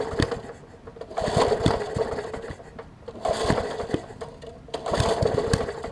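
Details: Murray 20-inch 3.75 hp push mower, long dormant with freed stuck intake valve: three rope pulls, short bursts of rapid compression chuffs never catching; cranks but won't fire, owner suspects spark plug or water/debris in combustion chamber.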